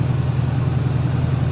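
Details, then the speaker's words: 1971 Buick Skylark Custom V8 ("Goldie") after pumping the gas: steady, even low rumble with no knocks or misses, fast high idle after cold start; charging reads only about 12.48 V, generator light still on, alternator suspected weak. "I'm going to fire it up. Look at there. She's running smooth."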